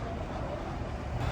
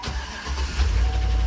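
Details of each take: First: Ex-Indianapolis Police Ford Crown Victoria V8 idling at a police auction: low, steady rumble with even idle, no ticks, misses or odd exhaust smoke; normal quiet idle. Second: Ford Crown Victoria ex-Indianapolis police car, V8 just after start-up at idle: a loud, quick steady tick at roughly four a second over the idle. The lifters are badly worn, apparently driven a long time while ticking.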